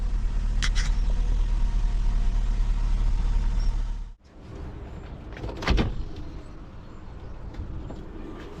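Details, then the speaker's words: Saab 9-5 HOT Aero estate power window after fitting wind deflectors: smooth, even motor hum for about four seconds, then a clean stop and a thud as the glass seats; no horrible noises, sounds as it should. "no horrible noises at last sounds what it's supposed to sound like good"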